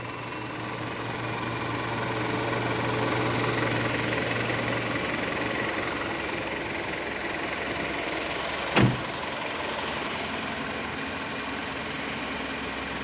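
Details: Mitsubishi Canter Euro 4 common-rail diesel just after start-up with a scan tool on OBD2: steady even diesel clatter at idle with a faint low hum and one brief knock near the end; normal idle.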